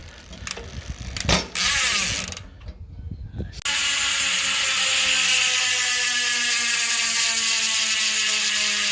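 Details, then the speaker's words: Trailmech rear freehub after repacking with fresh grease, coasting: fast, even high-pitched ratchet buzz easing as the wheel spins down, checking whether it is still loud; normal freehub pawl buzz. "Pakinggan natin Trail Mech hub after na repack ng grasa, ng grease. Tingnan natin kung gaano pa rin kalakas ang Trail Mech, o na siyempre mababawasan na iingay nito."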